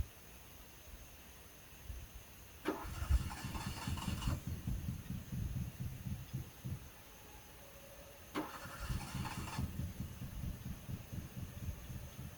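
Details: Fiat that won't start, owner suspects old spark plugs or wet wires: two bursts of cranking that catch briefly with an uneven, stumbling beat, firing on only one or two cylinders, then die. Crank-no-start with misfire.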